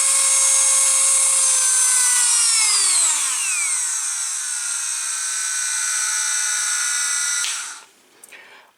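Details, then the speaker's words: Milwaukee 2460 cordless rotary tool after disassembly and cleaning around the motor end with electrical cleaner and WD-40, which cured its earlier noise: high clean whine dipping then holding steady, no rattle or grinding; normal running. "that is more better yeah that is much much better i'm happy i did that so all i did was really clean up around the end of the motor with some electrical cleaner and wd-40 so that took care of all that noise that we heard at the beginning of the video"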